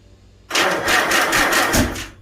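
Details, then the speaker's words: Farmall Super A tractor after a magneto rebuild, with the choke on. Spark is present, but the starter cranks in heavy uneven surges and the engine never catches; owner says the ignition timing is off. "Yep, timing's off. Okay, I'm going to go ahead and turn this fuel off."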